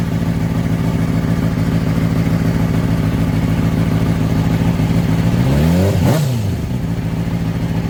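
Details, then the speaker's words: Crashed, pond-submerged Honda CBR600RR, oil pressure sensor bypassed: smooth, even idle, then a clean quick rev that settles back, no ticking, no smoke; normal idle and rev. "But now that we know that it runs, it doesn't smoke. The motor's not loud. But it's not ticking."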